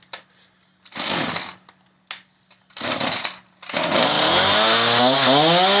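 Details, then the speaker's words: Homelite 3514C chainsaw after a high-speed carburetor adjustment: it fires in short bursts and dies twice, then catches and revs high and wavering; it will not idle, and the idle screw is to be raised. "Alright, so now it doesn't want to idle. There's an actual idle screw that's right in here."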